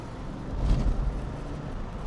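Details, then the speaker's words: Cheap Northstar-engined grandma car on its first drive, about quarter throttle; strong even pull rising, no squeal or knock over road noise. Normal acceleration, runs great and quick. "Oh [ __ ] Damn. This thing's kind of quick. >> Oh yeah. >> I think she's good. I think she runs great."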